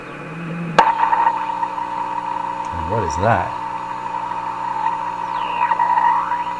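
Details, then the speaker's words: Simplex antique vacuum tube radio under troubleshooting at full voltage: a steady high tone near one kilohertz rings through the hum and hangs on as the control moves; suspected oscillation rather than a plate contact or short. "I think that's the set just falling into oscillation and then when you can back the control up again it hangs on the oscillation"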